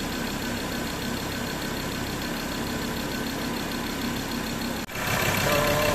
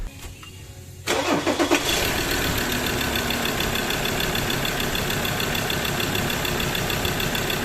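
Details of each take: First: Mazda BT-50 3.2L diesel that cranked but wouldn't start from a failed camshaft position sensor: engine catches after a brief dip and settles into a steady, even idle with no knocks or misses, running normally. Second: Mazda BT-50 3.2L diesel cranks steadily for about eight seconds at about three beats a second but never catches; crank-no-start caused by a failed camshaft position sensor.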